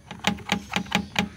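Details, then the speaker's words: Daihatsu Gran Max, noise near the cargo bed; sharp, even metallic ticks about four a second, traced to a loose locking bolt or nut found when the cover was opened. "di sini ada baut atau Mur nah ini kendor nih di sini kendor tapi ini kenceng kan ini kendor nih kendor jadi dia tek tek tek tek tek gitu loh"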